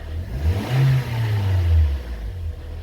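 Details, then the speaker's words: 2013 Toyota Corolla 1.8 16V flex-fuel with CNG, automatic, running with A/C on: noise on acceleration, deep rough droning vibration swelling and fading with revs, check-engine light on; cause seized alternator overrunning pulley. "ligar o ar aqui ó já fez um barulho lá tipo uma vibração trás l de injeção acesa ouvindo um barulho feio"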